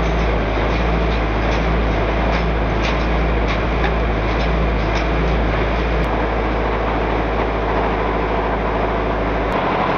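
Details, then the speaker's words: Engine run deliberately without oil or sump, bearing assembled dry: loud rough running with uneven heavy knocks and metallic clatter. Bearing knock from oil starvation. "All the sound we've just heard... I thought it would be one great mess!"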